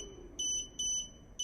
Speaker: the camera short-circuit and what I did there I connected the two wires power and ground together to give me that notification